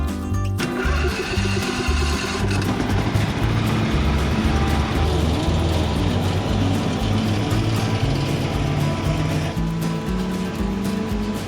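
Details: Briggs and Stratton V-twin in a Husqvarna Z246 zero-turn mower, owner initially suspected a governor issue: uneven, lumpy firing that surges and sags with a rattle on top (owner thinks idler pulleys slapping), running on one cylinder from a broken pushrod.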